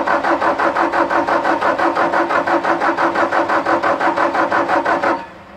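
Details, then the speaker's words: Bobcat T770 with a Doosan D34 diesel, hard to start, running rough with heavy black smoke: starter cranks about three even compression beats a second for five seconds, never fires; suspected low rail pressure, assumed from an injector. "so yeah so so no start so we're we're pretty sure that after the black smoke that we saw after it was running that we are fighting a low rail pressure issue"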